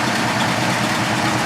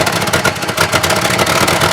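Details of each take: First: 1979 Chevrolet Caprice Aerocoupe V8 after freeze plug repair with intake reinstalled: loud, even idle with a steady beat and no misses or stumbles; running a lot better, no leaks so far. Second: Chevy Caprice box lowrider idling with a broken exhaust mount and a torn muffler with a big hole: loud raspy idle with a hissing, spitting edge from multiple exhaust leaks.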